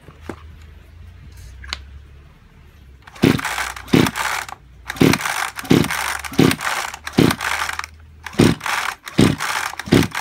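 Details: Kyoritsu chainsaw of unknown condition, suspected seizure and low compression: about ten sharp recoil pulls spin the engine briefly with no first fire; cranks but will not start, overhaul being considered.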